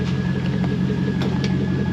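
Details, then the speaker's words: 2003 Chevrolet Silverado 5.3 V8 idling after replacing belts, tensioners, idler pulley and reinstalling the alternator: smooth, even low rumble, no belt squeal or chirp; charging fine, engine sounds healthy. "it's charging so that means me putting the alternator back in was just fine oh yeah she's good"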